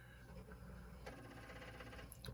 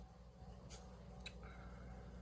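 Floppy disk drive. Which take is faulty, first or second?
first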